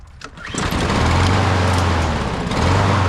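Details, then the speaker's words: Husqvarna mower with a no-start problem, after a new air filter, running on old gas. One quick pull and it fires straight away, settling into a steady, even run with no stumbling or misfire: normal start after the fix. "One pull. Finding that old gas that's in the house. Oh, Husqvarna, baby."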